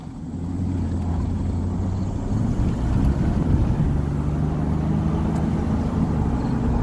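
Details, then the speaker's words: Test drive after hub bearing replacement, brakes pumped up, loading each side at speed: steady tyre and road rumble rising smoothly with speed, no growl or hum; previous bad-bearing hum gone, wheel bearings sound healthy. "verification of no noise is approved 100 no"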